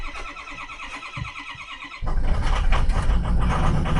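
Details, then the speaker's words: Hard-starting Ford 6.0L diesel: slow, even cranking at about four chugs a second, battery voltage dipping to about 10.6–11 V while cranking, then it catches after a while and runs rough, as it usually does; extended-crank hard start. "we go we caught it that took it a while running rough like it usually does"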